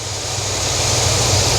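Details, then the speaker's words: Supercharged 6.0 LS Yukon Denali (Whipple, 460 wheel hp) idling a little over 800 rpm with AC on: low, even V8 idle with steady fan rush, no misses or knocks; normal healthy idle. "We got the AC on. We're idling."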